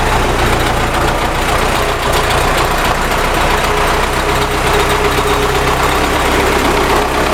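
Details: MTZ tractor diesel engine running at steady speed: busy clatter with a sharp tapping on top; engine knock, source not identified.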